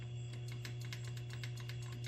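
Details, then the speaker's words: Spy Hunter sit-down arcade machine under restoration: quick even clicking about eight per second over steady mains hum. Missile output is stuck on and fires when the wheel turns; a bad wire inside the steering is suspected. "can hear it clicking. So, we have a problem with missiles."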